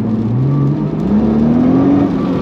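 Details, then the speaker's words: 2012 Nissan GT-R twin-turbo, 127,000 miles, full throttle on the street while watching boost reach about 13: smooth whir climbing steadily in pitch over the engine roar as the turbos build boost; healthy but slowish spool-up. "but yeah you can see you know it took a while for that to spool up"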